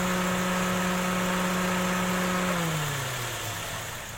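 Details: 2012 Daihatsu Xenia 1300cc, AC compressor magnetic clutch plate replaced after it rubbed the pulley and gave no cooling. Smooth steady hum with a clean whir dropping in pitch as something spins down near the end; idle sounds healthy.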